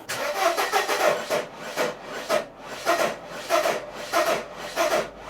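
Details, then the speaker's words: 1994 Mercedes W202 C180 cranking slowly and unevenly at about 1.5 pulses per second and never catching: fuel is present but there is no spark, caused by swapped coil pack wiring. "I am getting fuel, but there's no spark, there's no smoke coming out of there."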